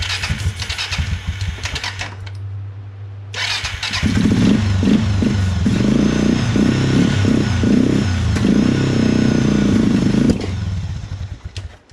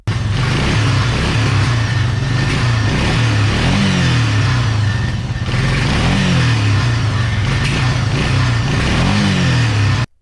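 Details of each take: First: 2000-ish Suzuki LTF500F Quadrunner 500 bought backfiring and sputtering, started on starting fluid: cranks, catches in ragged sputtering bursts and dies; the tank wasn't feeding the carburetor, later traced to a faulty vacuum petcock. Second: 2000-ish Suzuki LTF500F Quadrunner 500 single, after capping the carburetor vacuum port feeding the faulty vacuum petcock, cured of backfiring and not revving: steady even running with clean, smooth throttle blips, no popping or stumbling.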